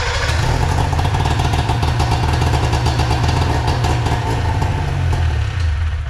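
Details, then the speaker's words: Arctic Cat Puma Deluxe 340 snowmobile after sitting about 10 years, about 45°F, fuel pump suspected weak: on choke it catches and runs with rapid rough two-stroke pulse for several seconds, then dies; runs only briefly. "Didn't expect that. Put the choke on and it fired right up."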